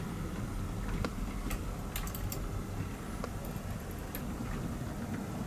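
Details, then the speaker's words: Pre-production Hattons Class 66 model locomotive running: soft, uneven little clicks over a low running hum; sand pipes suspected to catch slightly on the bogie, not confirmed; intermittent clicking while running. "if you listen carefully in the next clip you'll just about be able to hear the clicking of what I believe to be the sand pipes just catching ever so slightly on the bode"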